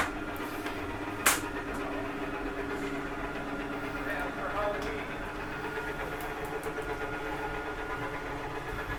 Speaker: First and foremost, make sure everything is clear so that the slide can come in. You don't want nothing to hinder that slide coming in. Simply press in.